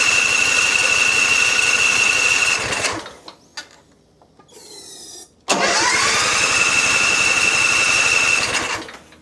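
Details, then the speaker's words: John Deere Z355E zero-turn bought as a dusty no-start: fast steady starter cranking about four turns a second with a high whine never catches despite starting fluid. The carburetor gasket is leaking, so the carb is removed. "And it's not starting, but let's try the the same one that I've been used."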